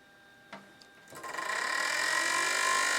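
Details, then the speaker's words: PowerMac G4 after an upgrade with newly fitted sleeved-cable fans on a fan adapter: one fan spins up to a steady rushing whir with a rough fluttering scrape about four times a second; owner thinks the blade catches the cable, heatsink in the way. "Okay, so you can hear that one fan is scraping. Okay, I think it's scraping against the cable, so I'll shut that down before my CPU fries."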